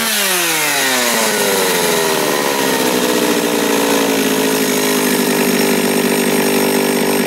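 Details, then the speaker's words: John Deere EV45 two-stroke chainsaw, made in Japan, rebuilt carburetor, no chain brake. Run at full throttle beside a bench to check bar oiling. Revs climb quickly to a clean, steady high scream and hold without stumbling or misfiring. Runs healthy. "so you're going to want to run a full tilt this is to tell if your oil is oiling if you can't really see it so what's going to happen here they're going to scream right there and then you'll see like a red line as the oil is getting flung off"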